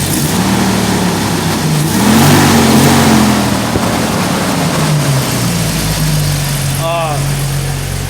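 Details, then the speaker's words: Freshly rebuilt Jeep 4.0 straight-six, flat-tappet cam on high-zinc oil, first start, off the gas after break-in revs: steady low hum with a brief blip around two seconds, then smooth and even idle; started first try, nothing sounds weird. "as you can see i'm gonna let off the let off the gas here and this thing is running like a champ it started on the first attempt too uh [Music] nothing sounds weird"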